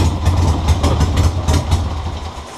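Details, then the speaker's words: 1976 Harley Ironhead Sportster, electric start, after apparently eliminating an intake air leak: a deep, lumpy V-twin idle with uneven firing pulses that stumble and fade. It still runs rough; the carburetor or points are suspected. "now it doesn't run perfect but it does what it does so maybe there's hope for ya"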